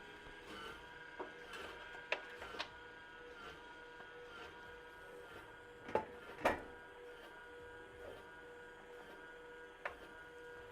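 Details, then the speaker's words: Skywalker V1 coffee roaster with HiBean, first roast, beans dropped at about 205°: faint steady motor hum with irregular scrapes and ticks as drum turns; likely a loose drum, needing the three rear bolts tightened. "about to readjust the drum. When you hear that kind of scraping noise, you more than likely have a loose drum."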